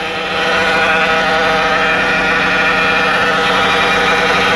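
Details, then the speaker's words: Cold Dodge Caravan with 62TE transmission, first start of the morning with thick fluid, at idle: a steady high whine that doesn't rise or fall, traced to the transmission front pump starving for fluid rather than the power steering pump. "that's what from pump line it basically has to be starving for it to start doing it"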